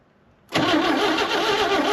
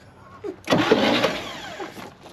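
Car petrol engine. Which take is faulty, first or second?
second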